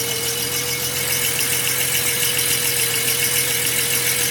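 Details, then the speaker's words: 240Z petrol engine idling with a steady whistling whine over a hissy idle, source unknown and not the belt per owner. It began after the car wouldn't restart at a gas station and one carburetor float was drained. "now this noise like whistling kind of noise is coming from the motor i don't know where it's coming from"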